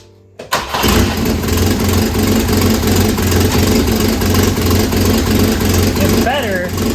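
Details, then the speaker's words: 1967 Volvo Amazon (122) abandoned 35 years, after new motor mounts: engine settles into rough idle with loud raspy puffing chuff; noise comes from a leaking exhaust manifold, which the owner plans to weld shut. "it's not great all that noise is coming out of the exhaust manifold"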